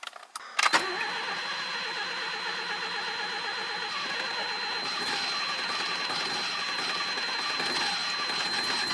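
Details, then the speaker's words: 1985 Mazda RX-7 GSL carbureted 12A rotary, idle previously around 200 and dying, idle screw raised: thin, uneven, stumbling idle, misfiring and sounding like it runs on one rotor. "okay you see here oh it's kind of missing you can hear it's like running on like barely anything"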